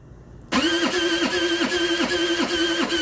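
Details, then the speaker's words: TaoTao 50cc scooter bought not running: strained whirring crank sagging in pitch about every third of a second, coming from the starter area; owner suspects starter misalignment or a bad starter/kickstarter, unconfirmed; abnormal cranking noise. "Yeah, it definitely sounds as if this is not turning over appropriately. Something in here, it definitely is coming from in here. It sounds really bad."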